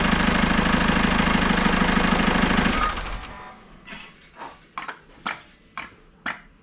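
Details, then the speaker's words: Citroën C4 Grand Picasso 2.0 BlueHDi 150 diesel after head gasket repair and engine refit, coolant bled with no overpressure: smooth, steady idle clatter for about three seconds, then shut off with a few clunks. Engine runs evenly. "je va juste vous la démarrer une fois pour que vous rendrez compte que ça ça tourne très très bien"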